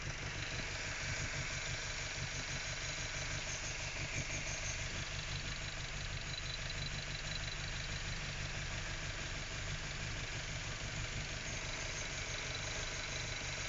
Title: MX5 Mk3 Rough Idle